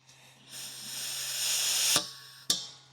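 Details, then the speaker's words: RV propane regulator: steady, sharp gas hiss building for over a second, then two hard pops as tank's excess-flow valve shuts when unregulated; regulator vent leaking, suspected failed diaphragm, propane smell and moisture noted. "Here's that vent that was leaking. Oh. It was just leaking the whole time. It just stank."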